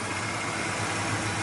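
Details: 1996 Ford Ranger 2.3 four-cylinder dual-plug engine after repair (IAC was stuck at 1500 rpm, fuel work done): steady, even idle with a smooth low hum and no stumble or hunting, previously rough idle and no acceleration.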